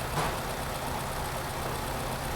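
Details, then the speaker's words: 2010 Nissan Cube, cold start warming up at about 131 degrees, idle 1150 rpm, MAF 4.3, O2 bank 1 slightly lean: steady, smooth idle with an even low hum and no knocks or misses. RPM drops as it warms, a normal warm-up idle. "as it's warming up the rpms are going down that's what it should do when you first start it and it's cold your rpm is going to be higher"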